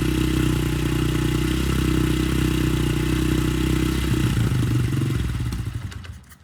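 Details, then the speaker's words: Honda CRF70F on a newly installed stock carburetor with a new fuel filter and air filter putters at a steady, even warm-up idle with a quick regular thump. It started easily, sounds healthy, and awaits adjustment. "okay so it starts up real easy"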